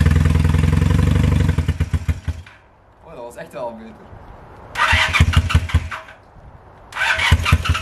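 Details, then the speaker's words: 1978 Honda CB250 twin after valve clearance adjustment, three of six valves way off: fires and idles a bit low, then coughs and stumbles whenever throttle is opened, won't rev; responds to choke, cause unclear. "it is not like to rev as you could hear in the video whenever I tried to give it a little bit of throttle it just sputtered and it wasn't"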